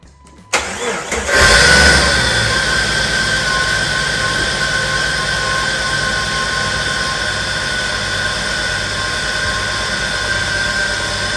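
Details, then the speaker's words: 1999 Jeep Wrangler Sport TJ, automatic, 144,000 miles: engine cranks and catches, then idles with a constant high whine and rough hum; stethoscope traced loud noise to the alternator and an idler pulley still needing replacement; alternator bearing noise. "okay so i knew from that stethoscope i was getting a lot of sound out of the alternator and i was also getting a lot of sound out of that pulley"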